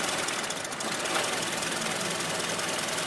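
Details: Honda Step WGN (RG1) at idle, shifted from neutral into drive: a fast, steady clatter over the engine from the automatic transmission, with the torque converter also said to be bad.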